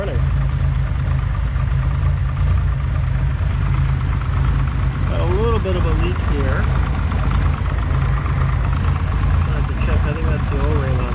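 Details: 1972 Ferrari 365GTC/4 V12, running again, warming up on stale fuel: deep, even idle burble with a steady low drone, no misses or knocks. Accelerator pump leaks slightly, thought to need new O-rings.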